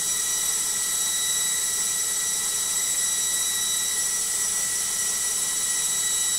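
Loud, steady high-pitched whine and rushing noise that holds constant at full spin; spin is abnormally noisy, cause not evident.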